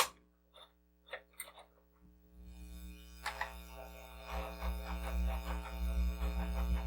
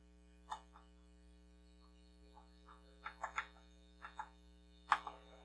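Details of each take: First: Commodore SX-64 built-in floppy drive: low hum, then a rough rattling tick about three times a second, and a slow directory load. Owner suspects the head needs cleaning and the rails need lubrication. Noisy floppy drive. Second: Commodore SX-64 floppy drive after head cleaning and rail lubrication, different disc: scattered light head-step clicks over a faint steady hum, reading smoothly and loading much faster; alignment check good.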